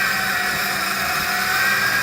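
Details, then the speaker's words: Vehicle idling with misfire, no check engine light: steady high-pitched whine over smooth idle; owner suspects idle air control valve, air boot off and cruise control lines broken giving vacuum suction; source unconfirmed. "No check engine lights for the misfire at idle, but I think it could be the idle air control valve or idle air control valve."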